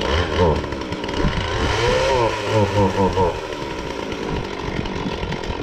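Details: Husqvarna 450 X-Torq chainsaw with a new bar and chain, brought in for not running: it catches and revs unevenly, the buzz surging and sagging instead of holding pitch; cause still undiagnosed.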